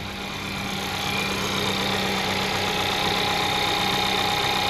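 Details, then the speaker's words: 2012 VW Golf Convertible 1.2L petrol, 100,000 km, after water pump replacement for an annoying engine-bay noise: smooth, steady idle with no whine, chirp or grinding; no leaks, water pump noise gone. "So I fill up the coolant res and there is no leakage, no harsh noise from the water pump and the car is back on the road."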